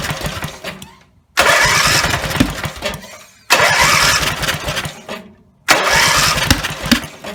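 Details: Rebuilt Briggs and Stratton 17HP (carb rebuilt, plugs, sump, oil slinger, gaskets replaced, valves reseated) roars up at full throttle three times, each fading and dying within seconds; won't idle; owner suspects the throttle linkage lever isn't resting on its screw.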